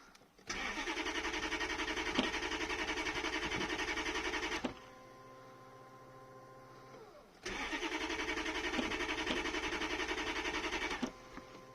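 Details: 1992 Lexus LS400 with 1UZFE engine, low mileage, bought as a non-starter: the new fuel pump runs, and the starter spins the engine in two long bursts at a steady cranking rhythm but it never catches; the cause was injectors not getting a ground pulse.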